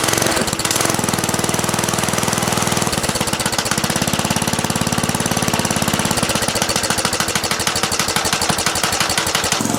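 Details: 1970 Rupp Scrambler small single after its gas tank was cleaned, idling: sharp, steady smacking knock on every few firing beats; more power and runs fine, cause of the smack unknown; possibly a worn, loose clutch.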